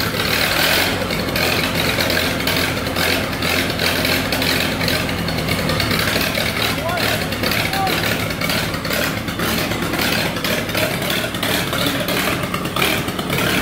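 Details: 1948 Lincoln SA-200 welder engine (also called a '47 model), long unfuelled, with carburetor refitted and temporary fuel rigged, runs steady and even with a busy rhythmic patter, no knocks or misses; got running with very little work, healthy.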